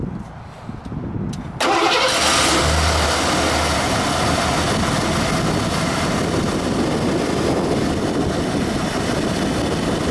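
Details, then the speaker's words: 1991 Ford F-150 V8, second owner, about 97,000 original miles, E4OD four-speed automatic, stock exhaust; owner wonders about a bad EGR valve. Starts up, cranks briefly and settles into a steady, even, quiet idle with no knocks or misses: normal start and idle. "but it uh starts up and runs pretty nice here I'll start it"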